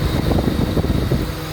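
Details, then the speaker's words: Honda Civic ESi, after base idle screw reset to middle, AC switched on: steady low idle holds even under AC load without dipping or hunting; idle correctly set. "Yan ang gano dyan pag naka-aircon. Shoot, ganda. Naka-aircon."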